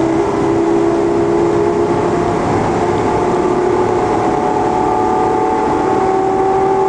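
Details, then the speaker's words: 2001 Chevy 3500 box truck, Vortec 5.7, about 290,000 mostly highway miles, driving at highway speed: steady mid-pitched droning howl from the rear over road noise, otherwise tight on the road; rear differential howl. "there you go can hear the howling in the rear but uh other than that she's tight on the road"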